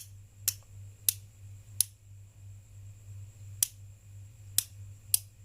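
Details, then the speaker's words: Refrigerator defrost timer set to position 2, turned until the first, smaller click: six sharp, dry clicks over a faint hum; normal detents before jumper-wire testing across pins 1 and 3. "Anda putar sampai berbunyi suara klik yang pertama, suaranya yang lebih kecil."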